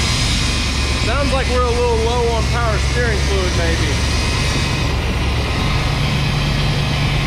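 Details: 1991 GMC Suburban with 5.7 TBI, sat 10 years, fuel pump hotwired, first start; steady low drone with no hunting and some whining early; high idle, owner suspects missing vacuum line.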